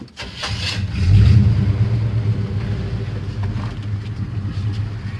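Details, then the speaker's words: 1975 Chevy C10 Silverado, 350 engine with 350 Turbo transmission, carburetor freshly rebuilt: short crank, then steady, even low rumble with no knocks or misses; runs good. "brian done a bang-up job on that carburetor he rebuilt the carburetor for me man this old truck runs good"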